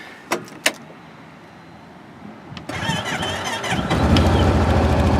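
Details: 2012 Honda Big Red utility vehicle, cold start: a few clicks, a short crank, then it catches at once and settles into a steady, even run, a clean healthy start.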